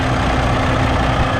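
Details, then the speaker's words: 2022 Kenworth W990 log truck, Cummins X-15 diesel at about 19,000 miles, idling just after fuel filter change and priming: steady, even low deep rumble, no knocks or misses; everything seems okay, normal idle. "everything seems to be okay. Maybe we'll bump the idle up here just for a second, and yeah, it seems to be going okay, so I think we're good."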